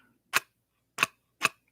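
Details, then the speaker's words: Prusa MMU2S multi-material unit on first test after assembly: sharp separate clunks about half a second apart as the selector hits its mechanical end stop, normal homing. "clunking sound there's a mechanical stop on here so what it does is it turns all the way back it turns all the way front kind of thing you know but it physically stops at a certain spot"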